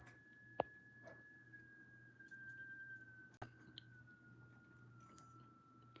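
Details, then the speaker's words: K4600 arcade monitor during rebuild: thin steady high-pitched whine that shifts pitch as the adjustment turns; horizontal oscillator off frequency, being adjusted. "Well, there's a high pitch noise. That's the horizontal oscillation making that noise."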